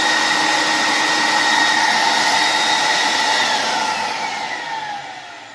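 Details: New Ametek Lamb 116765 12 A three-stage vacuum motor replacing the sparking original in a 1980s Beam Model 167 central vacuum, run on a power bar after fitting; smooth, steady high-pitched whirr winding down cleanly; normal motor run.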